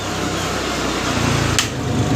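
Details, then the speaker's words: Polytron front-loading automatic washing machine, burnt out beyond repair, being converted to manual operation; drive motor wired directly spins up within a second, turning left, into a smooth even hum with no grinding or knocking; runs normally. "Nah, ini sudah muter tuh ya untuknya. Muter dia. Muternya ke kiri ya, Teman-teman ya."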